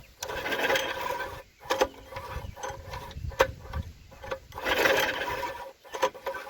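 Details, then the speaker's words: Junkyard Briggs & Stratton tiller engine (owner thinks 5 hp), once water-logged, pulled over by hand after its valves were washed, before the plug is refitted. Slow pulls with uneven ratcheting clicks and resistance surges show compression has returned. "We have some compression. I have compression. Sweet, that didn't take that long, did it?"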